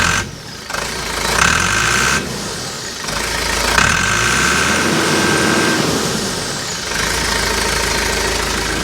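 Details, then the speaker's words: Backhoe diesel with DE10 injection pump converted to mechanical Stanadyne DB4, shut-off solenoid temporarily wired to starter, about 65-70 degrees: brief cranking, fires on first revolution, steady idle with no misses; runs healthy. "Hook up the solenoid and hear it click. Fires right up, first revolution."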